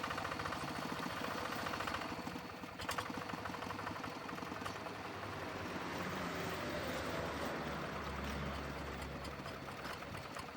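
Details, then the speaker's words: Single-cylinder diesel on a G3000 Zeva hand tractor, idling: rough gritty rushing rattle over its beat; mechanic suspects a worn fan bearing or tension pulley bearing, not confirmed. "Ya, mesin sudah nyala ya. Baik, ada suara berisik dari laker atau bearing penahan kipas ya, atau tension pulley."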